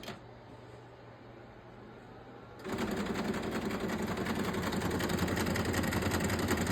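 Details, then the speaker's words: Canon imageCLASS D1520 that had been giving feed errors, heard after cleaning with compressed air and alcohol: a quiet hum, then loud harsh grinding with ticking about three a second. It fails to pull paper, which jams at a plate. "okay so it's obviously having a problems pulling paper and when I open this up and I take my ink cartridge out it's getting stuck at this plate"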